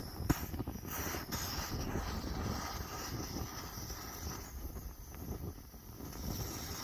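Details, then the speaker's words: Antique Svea 123R camp stove revived from the dump, pressure building while fuel burns off the body: a steady, soft, unbroken hissing roar from the little jet under outdoor wind. Normal burner roar. "now hopefully soon it will start to actually you know burn like a stove there you can hear the little jet going"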